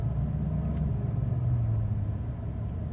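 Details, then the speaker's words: Copart Chevrolet Silverado 1500 V8 after fixing cylinder 6 misfire: deep, steady idle rumble with no stumbles or skips, so smooth it feels shut off at a light. "when you stop at a light with the radio going feels like it's not running at all feels like it shut off that's how how uh smoothly it runs"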